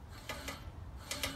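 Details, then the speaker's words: Scott Bonnar Model 45 mower, freshly sharpened reel and bed knife, both sides set and nylocks tightened: hand-spun reel gives a few light crisp ticks just nicking the bed knife; one side sounds too tight, the other too loose, needing fine-tuning. "that the reel spins freely and you can hear it just just nicking the top of the bed not"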